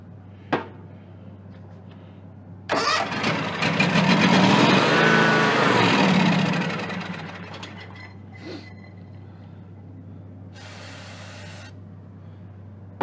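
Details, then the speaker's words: John Deere X300 rider, Kawasaki FH engine, 17 hours, brake cleaner in the intake, no choke: starter cranks, engine catches and surges briefly, then dies; needs carburetor work, cause a stuck fuel shut-off solenoid. "this time I'm going to put my hand over the intake to try to draw the fuel through this one's not going to do it this will have to have some carburetor work"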